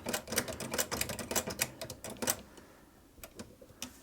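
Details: Vulcan Senior child's toy chainstitch sewing machine, hand-cranked, tension assembly fitted with substitute parts, turning in reverse: light rapid needle-and-cam clicking chatter slowing to scattered ticks; mechanism runs freely and healthy in either direction.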